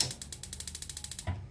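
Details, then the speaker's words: Modena LPG gas water heater after replacing the failed solenoid valve; before, it sparked without a click. Now rapid, even spark ticks, about ten a second, then a single firm click as the gas valve opens: normal solenoid valve click and igniter spark. "Kita tes dulu aja. Tuh kelihatan, kedengeran ada suara ceteknya. Tuh sebelumnya nggak ada suara tersebut, sekarang"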